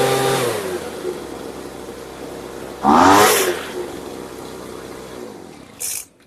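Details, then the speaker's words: Brand-new Poulan Pro leaf blower at full throttle: revs surge briefly, then sag and bog because the carburetor high-speed screw was too far open (rich). It was closed while holding wide-open throttle until it adjusted and ran right. "You hear how when I went full throttle it started bogging out. The issue was the high auto screw was too far open, so I had to close it, and as I closed it while depressing the throttle full, it start adjusting and you hear."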